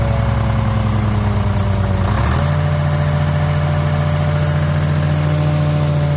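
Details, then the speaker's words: DROTT excavator with a Detroit diesel that sat about 15 years: deep, even drone stepping down smoothly to a steady lower speed, with no knocks or misses; runs like a sewing machine, normal running. "I'm gonna play a little clip of it running man this amount talking about it singing like a sewing machine when I'm talking about"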